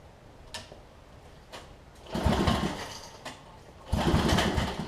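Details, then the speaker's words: Homelite LR4400 generator after carburetor and kill switch replacement, previously running: two rope pulls spin it with chuffing compression beats but it never fires; suspected it stopped pumping fuel, and now there is no spark; it later restarted by itself. "Might have just stopped pumping fuel. Now it doesn't even want to spark at all."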